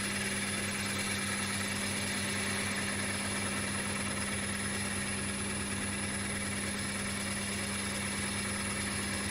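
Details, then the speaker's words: Stratos FU-230 lathe turning a large platter outboard: steady hum under a rough cutting hiss, with buzzing vibration building near the end from pressing the tool bevel too hard; tool chatter. "can hear that vibration now. I've just got the bevel too hard on there."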